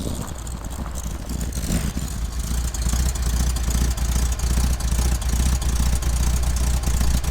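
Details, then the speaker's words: Chevrolet Corvair flat-six with single exhaust, heard at the right side: light even tick about 146 a minute at idle; suspected exhaust leak or lifter tick, not confirmed. "I have to be careful because I hear the tick on the right side and I feel like, oh, it's got to be the right cylinder bank. But I have to remember it's a it's a single exhaust."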